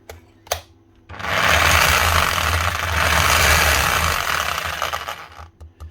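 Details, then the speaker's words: Cordless power tool in for repair after a wire lead fault was fixed; runs with rapid hammering about four blows a second and a harsh gritty gear rattle; gearing sounds worn, gears suspected, oil and new brushes planned. "It sounds very geary as well. So we can get it running, but we don't know how long this is going to run for."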